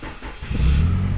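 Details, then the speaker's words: Nissan X-Trail T30 after repair of a worn sprocket (reversed as a temporary fix, Teflon seal replacement planned): starter turns briefly, engine catches cleanly and settles into a smooth low idle, with the earlier rough rattle on cranking gone. "Nah sudah tidak ada lagi kemarin setiap kali berhenti itu kita starter suaranya kan seperti itu"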